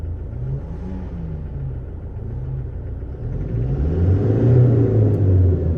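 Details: Toyota Hilux 2018 diesel, cylinder 1 misfire (P0301) after injector replacement: lumpy, uneven idle with a wavering beat that persists as revs rise; new injector not yet coded, smoothed out after programming.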